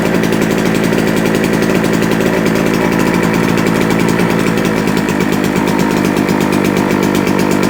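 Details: JCB two-stroke generator, unused for a couple of years, restarted and producing about 200 volts: fast, even buzz at constant governed speed with no stumbling or surging; running healthy.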